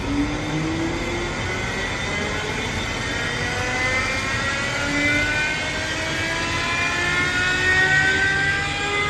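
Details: Alup SOLO 15 inverter-drive 15 kW screw compressor, permanent-magnet motor at 150 Hz, starting from 0 bar filling its receivers: steady, even airy roar with faint tones slowly climbing as pressure builds; no knocks or rattles, normal run.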